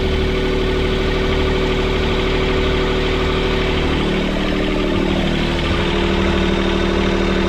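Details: Sailboat port diesel in reverse at anchor after repairing all four mounts snapped by a submerged-log strike. Idling too high because of a bent throttle-cable bracket. Steady, heavy rumble with an even beat and no knocks or clunks; running normally.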